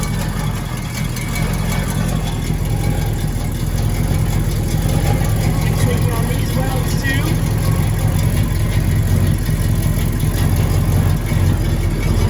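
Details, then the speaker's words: Exhaust leaks on a 1979 GMC Caballero (El Camino–type G-body) with a big block V8: deep, loose, uneven tractor-like puffing rumble at idle, from a loose header-to-pipe donut and bad welds. "basically he has a pretty bad or a series of pretty bad exhaust leaks"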